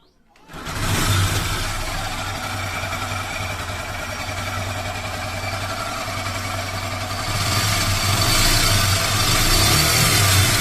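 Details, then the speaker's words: Hero Super Splendor BS4 engine after half-engine rebuild, started: harsh metallic rattle with fast regular knock rising slightly with revs; teardown found two broken teeth on timing chain sprocket and a faulty connecting rod. "यह घाट जो है दो घाट टूटा है टूटा है इसका लिए आवाज आ रहा था टाइमिंग चैन का तरफ से ठीक है"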